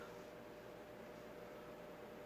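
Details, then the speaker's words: Dayton Lasko commercial ceiling fan with 40" blades, run on a solid-state speed control: only a faint, even hum under a steady airy rush with no buzz or rattle, probably one of the quietest heard on solid state; normal motor hum. "Not as bad as some that I've heard. Probably one of the quietest ones I've heard."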